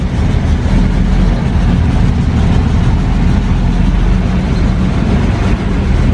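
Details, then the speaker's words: 1940 Dodge VK62B 3-ton truck, unrun for months, cold with choke on, switching from poured-in fuel to old tank fuel: deep, lumpy low rumble with uneven beat; rough running, owner suspects old fuel, smooths as it warms. "so let's see if it'll pull up some from the tank i think it sounds like it needs to clear its lungs out a little bit"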